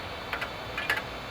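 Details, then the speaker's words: Compaq Pentium II MMX computer with a 3.2 GB hard drive at power-on: sharp, irregular clicks in small clusters over a faint hum as the drive spins up; owner suspects the hard drive is bad. "The hard drive is making some bad noises. I'm pretty sure the hard drive is bad, okay?"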